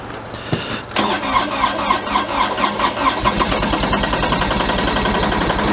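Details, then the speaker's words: New Kubota BX23S diesel tractor, likely on summer fuel, cold start at about -30°C after -40°C night, glow plugs held 30 seconds: brief crank, catches and settles into a steady, even diesel clatter at idle; normal cold start. "So as you can see, it actually did fire up. Yeah, it just glowed it for about 30 seconds there and away it went."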